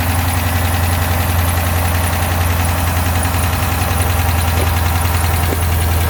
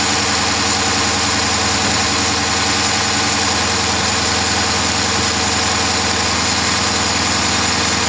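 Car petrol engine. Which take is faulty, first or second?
second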